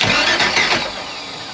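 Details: 1980s Egg Harbor 41 sport fish twin 454 big-block marine engine, valve cover off, bent valve stuck down after pushrod reinstalled; a few quick starter bumps that fade without catching, engine cranking.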